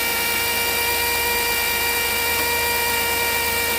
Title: 100% bad alternator bearing..